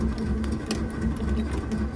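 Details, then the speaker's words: Starter motor stuck engaged: fast, steady mechanical whirring and no firing on a Daimler wedding limousine parked since 1990, while cranking on its first start attempt after 32 years. "Nothing yet. Oh, my starter got stuck."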